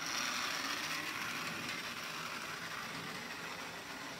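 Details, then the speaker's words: Lionel #60 trolley, 50+ years old, after full repair and cleaning, test track run: steady high-pitched motor whir with fast even wheel rattle, much quieter than before, slight grind; light works; normal running. "very i nice it runs a lot quieter and better a little grind to it not too bad light works great"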